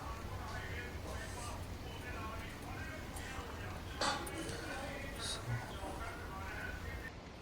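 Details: Hyundai Eon after a brake noise fix: the rotors had many lines on them, so the brakes were cleaned and the shoes refitted. Now a low, steady rolling rumble as it slows, with no squeal, scrape or grinding; braking is quiet and normal.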